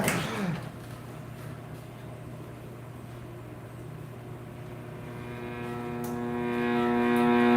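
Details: 1960s General Electric black-and-white tube TV, back off and plugged in while warming up: steady low hum, then a tonal howl from the speaker swells louder and higher over several seconds; audio fault, cause not yet known.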